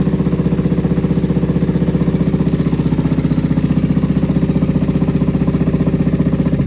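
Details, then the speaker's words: Kawasaki Vulcan 500 after carburetor cleaning and kit, first start on choke: fast, choked-up idle with a hard, even clatter over the firing beat; suspected top-end noise, cause not confirmed. "holy running [Music] we have running go ahead and pull the choke again sounds like we might have terrible top end noise"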